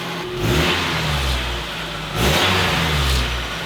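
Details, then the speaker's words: 1990 Nissan D21 pickup after fuel pump replacement and new battery terminals: two smooth revs settling back to steady idle; the buzzing noise previously heard after revving appears gone, engine sounds healthy. "Well, she's idling. Sounds healthier. You can hear that thing wearing away. I think that buzzing noise after revving, I think that's gone."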